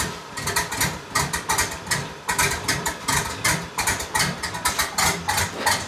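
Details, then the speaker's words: 1999 Chevrolet Silverado Z71 5.3L V8 idling just after long-tube header install: loud, lumpy but even chopping exhaust pulses, healthy idle; a possible leak noted at a header joint. "oh [Applause] oh she sounds healthy christmas time in here every light's on that sounds so good"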